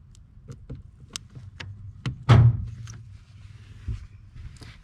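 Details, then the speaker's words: 1986 Buick Grand National after reconnecting an unplugged under-dash power door lock cable: dull lock clunks about two per second repeating with nothing pressed, both actuators cycling; suspected faulty door lock relay, switch also checked. "both sides um both the lock actuators keep doing the uh the locking function on both sides"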